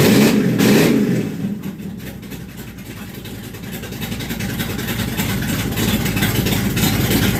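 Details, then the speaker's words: Charger with new A&A valve body, Dakota Digital dash, not started in a while: engine catches, settles into a steady lumpy idle, then clean throttle blips; runs smooth and strong, healthy. "So, the Charger, as you can hear, is still running fan-frickin'-tastic."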